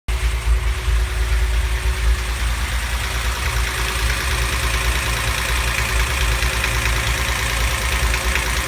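Uneven knocking runs over the idle and into the revs, tapping faster as speed climbs; a knock from one cylinder, cause not yet found.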